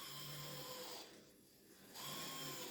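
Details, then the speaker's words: Used Kato N gauge CSX model locomotive on first test run: steady high-pitched squeal over the motor hum, fading as the loco runs off and returning. Motor squeal, suspected dry motor, unconfirmed. "he's noisy. Sound like we've got motor squeal. He's definitely noisy."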